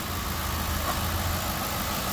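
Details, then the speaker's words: 2010 Ford Crown Victoria Police Interceptor said to overheat after 20 minutes, idling on a jump box with coolant present; smooth, even low idle with no misses, knocks or ticking, no smoke — engine sounds good; thermostat suspected. "the motor sounds good it's got It's got coolant so it may be the thermostat"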